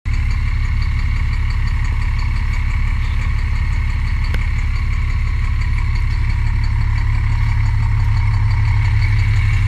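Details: MCI D4000 motorcoach with Cummins diesel idling: deep steady knock about three times a second, bad rod knock in a bus described as not that old.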